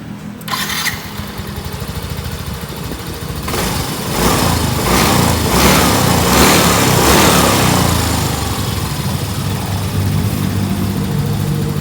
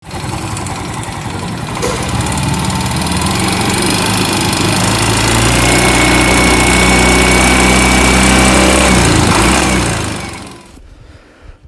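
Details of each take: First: Yamaha Mio M3 after camshaft replacement, which fixed a rough ticking noise that appeared when warm and at high rpm: the engine catches quickly and settles on a smooth, even beat with no top-end ticking, showing normal running. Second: Yamaha Mio M3 scooter, engine somewhat warm, revving at high rpm: rough, fast, even tick of about four per second riding over it; valve train ticking from a worn camshaft lobe.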